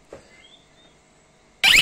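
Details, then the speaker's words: Pool alarm in a quiet room gives one sharp high-pitched beep and flashes green as a magnet switches it from surveillance mode to swim mode. "Hop, un bip, ça vient de clignoter en vert. On est passé en mode baignade."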